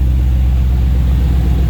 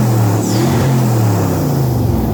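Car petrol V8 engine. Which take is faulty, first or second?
second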